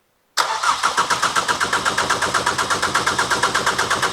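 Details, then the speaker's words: Ford Fiesta ST with a newly installed engine, cranked on a jump lead with injectors unplugged to circulate oil and check for fuel leaks: steady starter cranking with even compression pulses about seven per second and no firing, as expected. "So, if you can um crank it straight over because we've got the injectors unplugged, so it shouldn't start and we want to get some oil around it."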